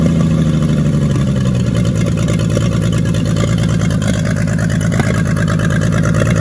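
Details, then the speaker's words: 1942 Chevrolet G506 truck six running in place on 12 volts after distributor adjustment, fast idle on choke (won't idle without it, idle won't come down); revs up and down smoothly, healthy, no knocking. Water pump weeping. "r of course that was with it you know kind of on a high idle with the choke but uh it doesn't sound all that bad and you bring up the rpms bring them back down she sounds good and healthy no knocking no anything"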